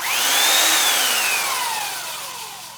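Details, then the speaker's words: Belt sander with new homemade stainless steel platen and belt fitted, dust bag off, no load: smooth motor whine rises then slowly falls as it spins down, no rubbing or knocking; sounds good, runs good. "Sounds good, runs good."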